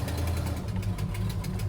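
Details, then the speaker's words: 1971 Plymouth Hemi Cuda, owned 17 years, being brought back to running: lumpy idle with a sharp puffing tick on each exhaust pulse over the deep V8 rumble; the exhaust manifold is leaking and is warped, needing machining flat. "go over this way more yeah it sounds ter terrible"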